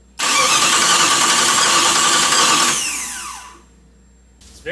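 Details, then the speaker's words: Chrysler 318 V8 from a Grand Cherokee mated to a 96 AW4, running on gas poured in with no fuel pump hooked up: it catches and roars for a couple of seconds, then sags and stalls, apparently starved of fuel. "I don't like doing this but it seems to run a little longer"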